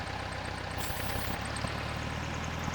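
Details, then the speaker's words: Air-cooled VW that stalls and idles rough: the idle hunts and dips, and spraying starter fluid at the intake manifold boot makes the revs spike. This confirms a vacuum leak at the intake manifold boots. "I'm telling you it's this intake manifold boot. Why? Because I already know it is."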